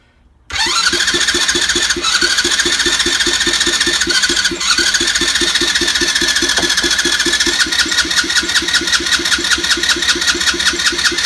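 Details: 50cc Chinese ATV that died and had no spark. Now has new plug, HT lead, stator/magneto, battery, piston kit and gaskets, checked valves, cleaned carb, fresh fuel and oil, and kill switches disconnected. Starter turns it over evenly for eleven seconds without firing: cranks but won't start.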